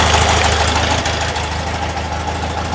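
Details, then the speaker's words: Porsche 912 with Dellorto DRLA carburetors during throttle gap and idle mixture setup: uneven idle with irregular stumble over a rough knocking beat; engine misfire at idle. "of still recovering from this it sounds like we're missing again"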